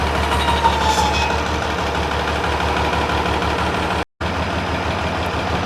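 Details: International 966 tractor diesel running after reinstalling the rebuilt hydraulic PTO unit and replacing the rock shaft bushings; hydraulic steering works: deep, steady rumble at an even idle with no knock or miss; running normally.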